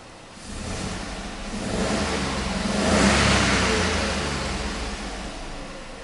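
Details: VW Up reading 55% ethanol and air-fuel ratio 11.2; an earlier ignition misfire fault is now cleared. Engine climbs smoothly from idle to a clean peak and settles back with crisp pickup.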